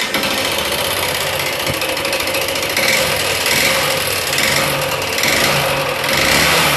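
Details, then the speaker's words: Yamaha Fazer/Phaser 150 motorcycle engine run low on oil by owner; loud harsh mechanical clatter rising with revs before opening top end to check piston and rings; engine knocking from oil starvation. "Tá vendo aí? Tá com barulho excessivo, vou estar abrindo aí a parte superior do motor para estar conferindo o que aconteceu aí, se só foi pistão e anel."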